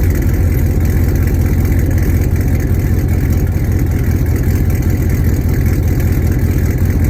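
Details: Hennessey Camaro V8 with long tube headers, start and light revs after wash: lumpy loud idle with sharp puffing chuff each pulse; exhaust leak on passenger side after the headers.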